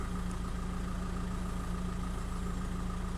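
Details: 2005 VW 2.0 TDI PD (BKD engine, no DPF): steady, even diesel clatter at about 200 beats a minute with a constant low drone; smooth, unchanging idle with EGR and boost readings matched, sounds healthy.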